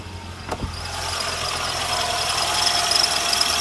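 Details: Renault Sandero at 55,000 km: a high squeal from the alternator belt on cold start, lasting 10–20 seconds and rising slightly with revs. Worn belt slipping; replacing it at 65,000 km stopped the squeal.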